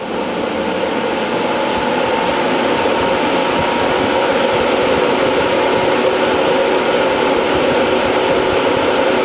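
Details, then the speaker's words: Replacement HSD electric spindle cooling fan on a CNC machine, replacing the noisy original: smooth, steady airy whoosh with constant mid-pitch hum, no squeak or flutter; new fan running normally. "so yeah it's working really good"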